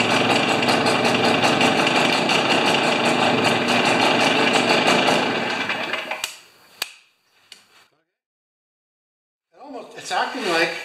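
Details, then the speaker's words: Stihl BR430 backpack leaf blower, neglected three years, plug cleaned: raspy, uneven two-stroke buzz that sags and dies after about six seconds; suspected plugged muffler, which appears plugged on removal. "that'd be something if it was a plugged muffler i'll be the second one in a week"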